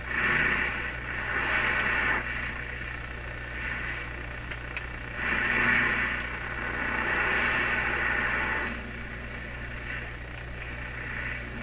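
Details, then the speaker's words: Clairtone console stereo radio during AM band alignment, on its own antenna near 640: hissing static swells and fades every second or two over constant low hum; common shop interference noise. "So that noise there is a common interference noise heard in my shop all the time."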